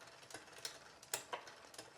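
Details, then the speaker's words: Road bike rear derailleur with upper pulley deliberately pushed too far inboard via the barrel adjuster: sharp, irregular metallic ticks over a quiet chain whir as the chain rubs the next cog. "okay so that's definitely not what you want to hear I've artificially pushed the upper pulley wheel too far in board by using what's called this Barrel adjuster"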